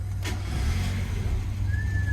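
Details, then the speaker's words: 1992 Mazda Miata (NA) engine after full reassembly: brief crank, catches on the first crank and settles into a smooth, even idle with no stumbling; normal clean start. "and there we go no hesitation guys just one crank in and that's all about it guys"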